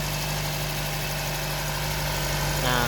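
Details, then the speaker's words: Nissan Grand Livina pre-purchase inspection, idling after start: steady even idle with a low hum and light mechanical clatter, no knocks or misses; judged normal and fairly smooth, Livina engines being somewhat noisy by nature. "Hai Hah mutu suara mesin ini kategori masih wajarlah ya suaranya masih cukup halus"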